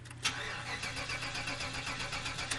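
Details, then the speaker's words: Old Buick wagon on a wet day, cranking after WD-40 was sprayed under the hood: the starter turns it over evenly but it never fires, crank no start. Smells rich, low oil light stays on; ignition coil suspected, later replaced with an OE GM coil. "no tricks no magic I just sprayed some more WD oh man something majorly not right"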